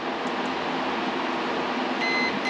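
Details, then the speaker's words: 1963 Ford Falcon Ranchero ignition switch checked with meter on ohms during rewiring: steady background hiss then a thin steady high beep in the last second; continuity shown, switch contacts good. "But you can hear it works."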